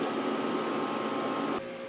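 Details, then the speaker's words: Power Mac G5 Quad hanging on boot: steady loud fan rush with a thin whine near 1 kHz that drops suddenly; fans at full speed, owner suspects a kernel panic; boots after removing four mismatched memory sticks and moving the other pair. "sometimes I've seen these Maxwell they'll actually crash at this point and the fans will kick up like this one did but it'll just keep spinning like that and won't actually tell you anything so we might have had a kernel panic here or something"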